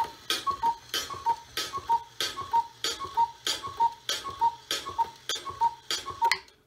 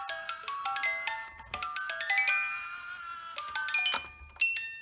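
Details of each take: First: Repaired 1970s Black Forest cuckoo clock, movement cleaned and lubricated with WD40; clear two-note cuckoo repeats about twelve times at an even pace, each call full and crisp; bellows working, normal cuckoo call. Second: 1970s Black Forest cuckoo clock under repair: music box runs unevenly and dies away, clicking off, because its left-hand drive weight is missing and lacks tension; replacement weight, hook and chain ordered; music box stops.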